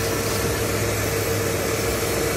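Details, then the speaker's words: Mitsubishi Delica V6 after camshaft seal replacement, first run: thin constant mid-pitched whine over a steady idle from around the power steering pump area; owner suspects air in the power steering, but no bubbles found. "there is that heating noise that i don't know is coming from and i don't know if that was normal it sounds like air on the power steering"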